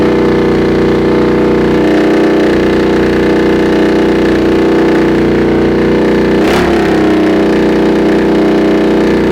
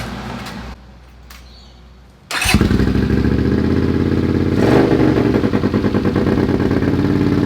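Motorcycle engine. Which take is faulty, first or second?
first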